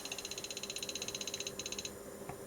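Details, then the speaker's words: Arduino Geiger counter near a slightly radioactive US Army Signal Corps I-81-A radio compass indicator, quick clicks about eleven a second, perfectly evenly spaced like a metronome; too regular for real counts, suspected sketch delay timing bug. "but one thing bothers me that that click is is far too too regular"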